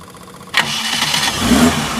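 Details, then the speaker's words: 1980 Suzuki LJ80 Jimny 4x4 with header exhaust: quick crank, then the engine fires and settles into a smooth, even idle with no rough or metallic noises; healthy start. "Nah ini suaranya masih halus masih enak enggak ada suara kasar enggak ada suara apa namanya kayak metal gitu ya masih aman"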